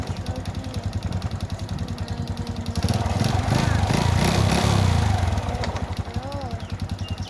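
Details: Honda Wave S 110 motorcycle engine at idle: regular hollow knock that swells when revved and settles back; piston slap, piston replaced.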